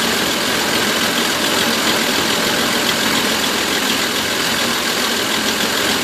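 Uneven idle with an irregular stumble and dropped beats in the engine rhythm; a misfire, though the cause isn't known yet.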